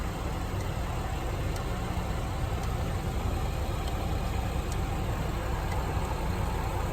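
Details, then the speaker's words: 2014 Honda Ridgeline, 48,000 miles, sticking brake caliper causing vibration on the highway: faint sharp ticks about once a second over low idle rumble; overheated rotor cooling. "Driving on the highway, you can start to feel it vibrating. And if you listen closely, you can hear the rotor cooling off, ticking."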